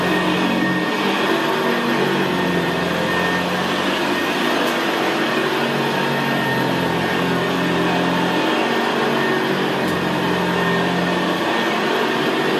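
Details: 1975 Hoover Senior Ranger U4002 vintage upright vacuum cleaner on carpet: quiet, steady motor hum with the even gravelly brushroll growl typical of the Ranger, no squeal; normal healthy running.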